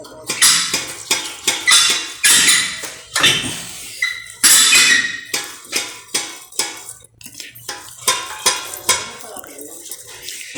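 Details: KYB shock absorber pumped by hand gives sharp metallic clacks about twice a second, a hollow knock from something broken inside; cause of strong suspension knock on extension, especially over speed bumps.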